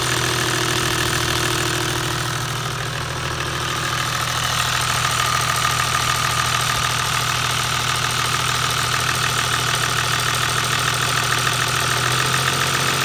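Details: Toyota 1HD-FT diesel at idle: a fast metallic clatter of about three ticks a second from the front of the engine. Timing gear or injection pump is suspected as the cause.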